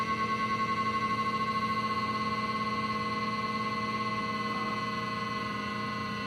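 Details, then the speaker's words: Whining noise from a vehicle DVR, heard right after ignition-on: a steady high whine with several fixed tones. It is the same noise as before the hard drive was changed, so the owner suspects the DVR's internal fan. "it's the exact same noise before you change the harddrive so maybe it's the internal fan anyways thought you might want to hear it"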